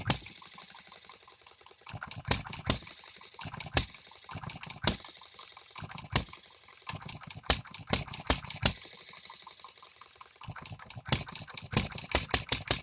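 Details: Economy hit-and-miss engine, new shop-made piston and rings: sharp firing bursts in uneven clusters with long coasting gaps, erratic spacing; owner suspects timing too far advanced, running but needs a lot of tweaking.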